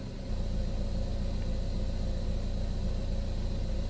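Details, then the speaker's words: Buick Verano after replacing camshaft position actuator solenoid for P0013 (P0119 coolant temp code also cleared, new P0011 now shown): even, steady low idle rumble with no knocks, misses or ticks; running smooth, not rough. "as far as my car sounds, it sounds like it's running smooth."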